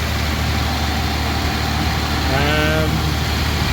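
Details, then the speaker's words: Mazda 323F V6 first start after battery terminal repair, cold: steady idle sitting noticeably high with loud ticking when cold, no hunting, so vacuum leak appears fixed; idle possibly adjustable by screw. "so the idle's high but that could be adjusted looks like the screw adjust screws down at the"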